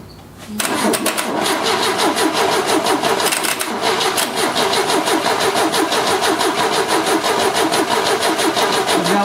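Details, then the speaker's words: 1970 Opel GT barn find, sitting about 30 years, compression test while cranking: even starter chug about three times a second; this cylinder reads 115 psi, good (another read only 75); normal cranking compression. "115 pounds so that one's really good number two i think number two is what it is we might try that number one again"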